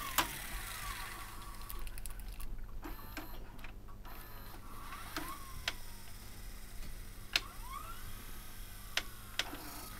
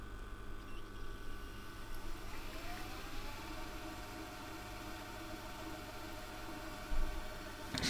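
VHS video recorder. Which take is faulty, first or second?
first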